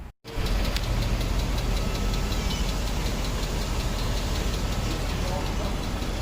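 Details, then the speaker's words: Mercedes W140 S500 after a long road trip on newly switched Rotella oil, recorded pulled over at idle: loud quick even valvetrain tap over the idle; cause unconfirmed, owner trying a Rislone additive. "so so as you guys can see that is absolutely terrible it started to tap loud"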